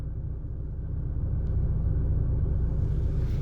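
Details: VW Golf TDI at idle with fully stock engine mounts: low, smooth diesel rumble holding a steady even beat with no knocks or shudder; a healthy idle.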